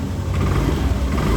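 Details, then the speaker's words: Lexi scooter after rebuild of engine seized from running out of oil: steady, even low hum at idle with no rough misses, knocks or rattles; smooth and normal again, whereas it sounded very rough on arrival. "sudah kembali halus sudah kembali ke mode normal ya setelah awal masuk tadi suara sangat kasar karena memang performa oli yang sudah habis ya"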